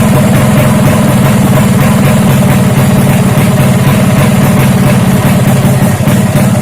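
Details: Freshly built racing Vespa two-stroke with direct-mounted reed intake, Japanese carburetor, uprated clutch spring and SRP competition exhaust, first start: crisp, even idle with a steady beat and clean throttle response; healthy.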